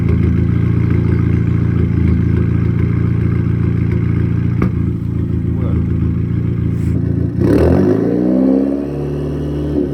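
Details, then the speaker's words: Audi A3 8P still misfiring: rough, uneven engine beat of about four pulses a second with stumbles in the rhythm; cause not yet found. "so as you can hear the car is still misfiring"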